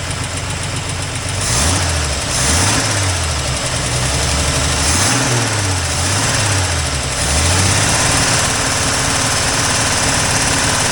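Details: 1984 Toyota Land Cruiser FJ60 first run in many years: uneven, surging idle with a low note wavering up and down and a hiss on top, with an exhaust leak noted. Unsettled running, cause unclear.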